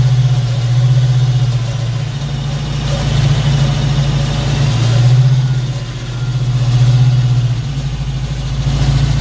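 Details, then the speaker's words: Foxbody Mustang V8 after distributor swap, idling during scanner cylinder balance test: steady idle, revs dip and recover every couple of seconds as cylinders cut in turn; every cylinder seems to fire. "all right so seems like all the cylinders are firing at least I don't know let's see what this test has to come up with"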